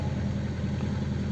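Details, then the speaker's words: Gentra (Джентра) cold start at -20°C after parked outside overnight, hood open, software reflashed; warm-up idle about 1400 rpm. Steady even hum, raised busy idle, injectors ticking audibly, power steering silent, no knocks or misses; healthy fast idle. "так как обороты смотрим прогревочные сейчас плохо видно сейчас прогревочный оборот 1400 где то получается"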